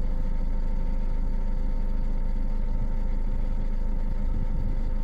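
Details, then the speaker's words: 1.6 HDi diesel idling after the injector seals were replaced: an even, low diesel clatter with smooth, regular firing and no misses. The whistle heard before from a leaking, seized injector is gone. "et là maintenant il y a pas de problème il y a plus de problème il y a plus ce ce siflement"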